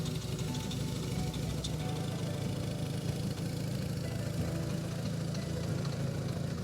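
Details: BMW R1100 boxer engine fitted to a powered hang glider, just after valve adjustment with new lifter and vacuum-gauge synchronization, spark plugs torqued to 20 Nm: steady, even low-pitched idle with no knocks or misses; runs smoothly and healthy.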